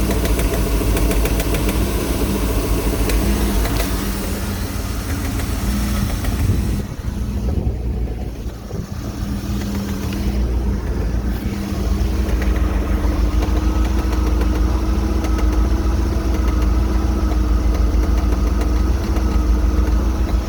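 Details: Mercruiser 260 5.7L V8 boat engine at idle: steady low rumble with a repeating knock, about three or four a second, heard only at idle and gone when rpm rises; source undiagnosed.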